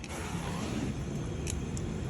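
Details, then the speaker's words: AC no-cold-air service call: with the AC on and blower running, a steady low compressor hum with no knocking or rattle is heard; the compressor is pumping normally. "Oh, it sounds like it is pumping. Hold on, it is pumping. Hold on. I feel it pumping."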